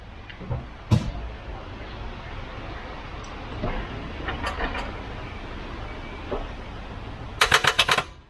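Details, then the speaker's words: Volvo 244 redblock engine that won't turn over after sitting parked a while. Trying a newly bought jump starter pack, turning the key gives only a quick burst of about six rapid clicks and no cranking. The cause is a bad ground/earth connection. "so i'm hoping if i leave it collected for a little bit longer it'll work probably not it's not even trying to turn it over"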